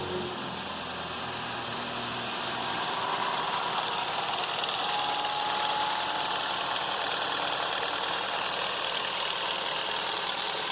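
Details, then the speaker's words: Citroën C4 Lounge THP petrol engine at cold start idles with a busy metallic rattle: the timing chain is slapping heavily; engine timing checked and found out of time. "baixo enriquecimento em tá chicoteando bastante a corrente é a gente não está morto ou não vamos entrar com o aparelho vamos conferir o ponto do motor"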